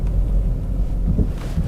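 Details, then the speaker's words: Audi 2.7 TDI automatic on the road: steady road rumble with a couple of dull thumps crossing a bump; suspension knock, owner suspects front lower suspension arms or bushes, not confirmed. "It's a little bit knocky over that bump. I think it needs some new suspension arms, some bottom arms or something, or bushes."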